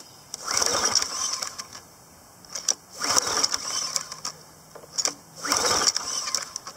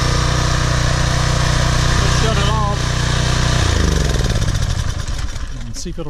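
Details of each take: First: PowerFlow+ pressure washer, Briggs & Stratton 190cc 2016 engine, unused over a year: repeated recoil pulls with carb cleaner, has spark, cranks but never keeps running; ethanol gas dried in carburetor, clogged bowl-screw main jet. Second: PowerFlow Plus pressure washer, Briggs & Stratton 190 cc engine, after carburetor cleaning (clogged bowl-screw jet, dried ethanol gas, oil in carb; sat over a year): runs at a steady, even beat then winds down smoothly; healthy, no misfire.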